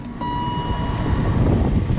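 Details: BMW E39 blower after replacing the final stage resistor (part 64116923204), AC on max calling high speed: fan jumps up quickly into a strong, steady rush of air with a faint whine; full speed now works, previously intermittent.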